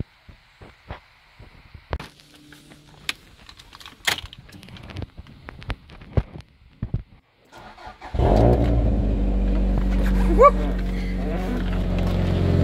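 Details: Toyota Caldina ST215 3S-GTE with Link Storm ECU, not run for a couple of years, no-start traced to an earth fault: clicks and handling noise, then engine catches, revs briefly and settles steadily; normal start and rev after fix.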